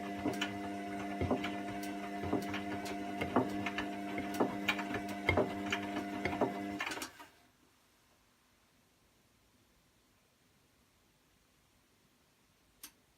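Steady rhythmic clicking, several per second, over a low motor hum until the machine stops; cause can't be pinned down from sound alone.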